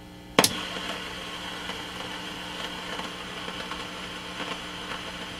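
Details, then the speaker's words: Heathkit T-3 signal tracer switched into noise mode, probe on a suspect carbon resistor: a switch click, then a loud steady rushing hiss with faint crackles from the noisy resistor, replaced with a new 100K resistor. "That's definitely a noisy part."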